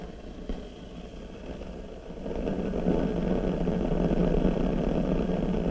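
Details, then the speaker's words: RCA CR-88 1940s receiver after mica capacitor and RF-stage resistor replacement, probing the low-voltage mixer cathode: a rough, rumbling crackle that grows louder after a couple of seconds, a noisy component in the mixer stage. "you know that's noisy too I can hear that"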